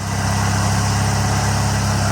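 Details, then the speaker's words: Toro 616Z zero-turn mower twin at full throttle after the loose spark plug tip was tightened; it had sometimes run on one cylinder. Steady, even low putter with no stumbles, misses or surging; no hesitation, full power. "Just went around the block, didn't hesitate, nothing. Just full power all the way through, no hesitation. It's a loose spark plug end."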